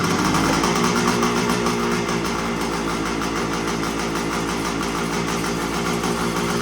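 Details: 1975 Suzuki TS125, stored for a while; previously idled fine but broke up past half throttle. After turning in the carburettor air screw, warmed up: crisp, even idle, no misfire or hunting; running pretty good.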